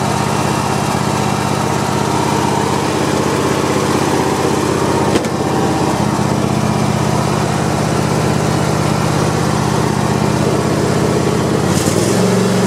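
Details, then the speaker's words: Cub Cadet i1050 zero-turn twin engine after burning off old gas and refilling with fresh fuel. Steady, even fast idle with no misses, knocks or hunting: running normally and strong. "all right so i just burned off all the old gas and uh put some fresh gas in and it's running pretty pretty strong so"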